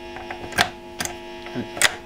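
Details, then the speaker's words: Circa-1967 VOX AC10 amp on the bench during check-over: steady buzzy mains hum that came on suddenly, dropping when a jack is inserted, with clicks and knocks from jack handling. "uh it's gone very humming all of a sudden okay hum goes down when you go into there [Music] unplug and it's quite hummy"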